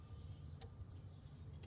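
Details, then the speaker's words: 1989 Ford Ranger 2.3L, key-on engine-off self-test with a code reader during oxygen sensor replacement: two crisp clicks about a second apart over near silence as relays cycle; normal. "When we get to the number 10, we're going to turn our code reader off. You're going to hear a bunch of clicks."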